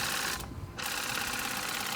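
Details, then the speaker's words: Nevadent water jet flosser (Lidl) cycling soft, jet and normal modes, pulse frequency differing between modes: fast, even pulsing buzz at a steady rate with no stutter or strain; pump running normally. "that's on soft and that's on jet you can tell the uh different frequency really between the pulses"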